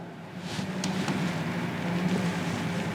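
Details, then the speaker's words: Capacitor-start capacitor-run single-phase AC motor on an ITI trainer kit, fed a low variac voltage of about 6-35 V and drawing 0.31 A: a steady low electrical hum with no run-up. The motor is energised but produces no torque and does not turn. "ಸುಮ್ಮನೆ ಗುಯಿ ಅಂತ sound ಬರ್ತಿರುತ್ತೆ."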